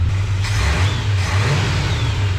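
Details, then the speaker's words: 1976 GMC rebuilt low-mile carbureted V8, before ignition timing set: deep, even rumble swelling smoothly as the throttle opens, no knocks or ticks; revs good, quiet, idle good. "right. Rev's good. Sounds good. It's not noisy. Idle's good, just don't hook up the throttle or restart it."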